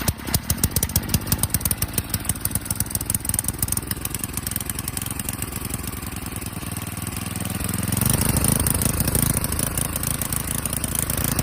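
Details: Swapped-in 8hp Tecumseh snowblower engine (replacing a blown 5hp) on a John Deere 524 rototiller, just started, choke not needed: small single-cylinder chugging at a steady fast idle, firing evenly, picking up slightly near the end; runs clean.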